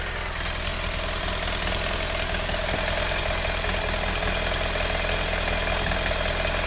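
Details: BMW F800GS/F650GS parallel-twin motorcycle idling hot: light quick ticking about three a second over engine note, appearing only when hot. Owner thinks it comes from the right cylinder; cause unconfirmed.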